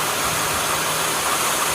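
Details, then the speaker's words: 2008 Toyota Sienna after replacing the accessory belt, tensioner and idler pulleys. The belt drive gives a smooth, even whir with no metallic clicking from the pulleys; any ticking heard comes from the engine, not the belt drive. "If you hear the ticking sound, it's from the engine. But there's no... Yeah, it's smooth sound."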